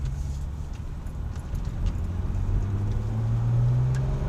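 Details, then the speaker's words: Porsche 996 Turbo taking a sharp 90-degree turn after front control arm bushings were retightened with the car's weight on ramps and greased. Only steady road and engine hum, no squeaks, pops or clunks; the suspension noise is fixed. "nothing quiet as a church mouse works great highly recommended"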